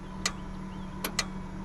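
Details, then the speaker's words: Datsun 280Z with intermittent no-start, after repair: three sharp clean clicks over faint hum from the relay powering the ignition coil, switching normally after a badly soldered connector was replaced with crimped clips. "that clicking is actually what what is providing power to uh that coil"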